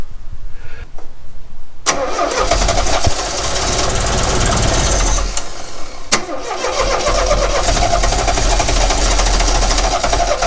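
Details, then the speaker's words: 1969 Renault 16 not run in years, on rigged external fuel supply, HT lead swapped back to original, with starting fluid: starter churns, ragged uneven firing catches in fits but never runs; seems to fire on maybe one cylinder. "I don't know if that makes any difference. It seems to be firing on maybe one cylinder."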